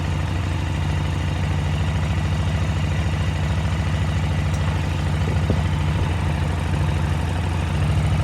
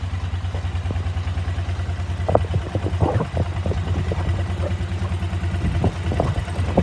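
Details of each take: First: KTM 950 twin-carburettor motorcycle at idle after adjusting until both carbs read about 10 on airflow: a steady, even low V-twin thump with no hunting or stumble; the carburettors are now balanced. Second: KTM 950 V-twin, warmed up at idle, carb sync check: uneven loping beat around two pulses a second; airflow readings unequal between the two carburetors, so carbs are unbalanced.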